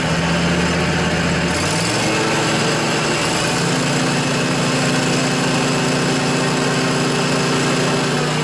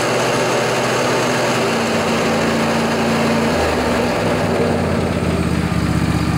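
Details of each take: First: John Deere LA145 riding mower, 48-inch deck, Briggs & Stratton twin Intek engine, after replacing noisy deck bearings: engine steps up and holds steady with blades engaged, including low rpm, with no grinding or rumble; deck now normal. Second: John Deere LA145 riding mower, Briggs & Stratton twin Intek engine, 48-inch deck, blades engaged on a cold 35°F morning. A rough rumbling drone comes from worn deck spindle bearings.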